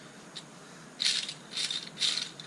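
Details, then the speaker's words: Jeep clutch throwout bearing, removed and spun by hand: four gritty, rock-filled rattling bursts with silence between, unlike the silent new bearing; worn-out throwout bearing causing the noise heard. "sounds like it's got a bunch of rocks in it."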